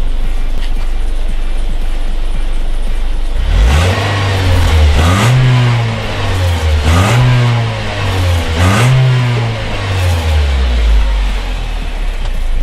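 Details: Nissan X-Trail with a suspected blown head gasket, cold start after sitting outside overnight: the engine blips up and down several times, smooth and even through each rev, with no misfire or knock. Later tests found no blown head gasket.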